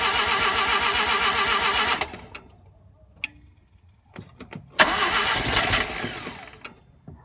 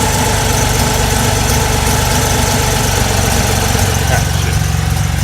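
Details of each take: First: RX-7 first start attempt after swapping a 12A rotary in for the 13B: two cranking bursts that never catch. Crank no start; the ignition timing was found to be way off, though the owner first thought there was no spark. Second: Mazda RX-7 rotary after header welding and an electric cooling fan upgrade, first start following no-start issues, exhaust possibly not fully tightened: steady, smooth, fast burble at a solid 1500 rpm idle with no misses or knocks.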